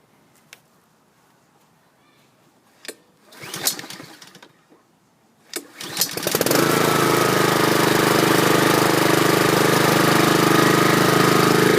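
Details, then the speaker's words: 2011 Troy-Bilt 21" push mower, Honda GCV160 engine, after draining stale gas and WD-40 on a sticky recoil: a few pulls, then catches into a steady, even, quiet drone; smooth running. "That sounds smooth. I like it. So that was a success story on the Troy-Bilt Honda. It's got a nice smooth sounding muffler, nice and quiet."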